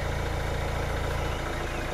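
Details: 2012 Hyundai i20 diesel with P1186 low rail pressure code (fuel pressure regulator valve suspected); steady, even idle with smooth low drone, no knocks, misses or hunting; normal idle.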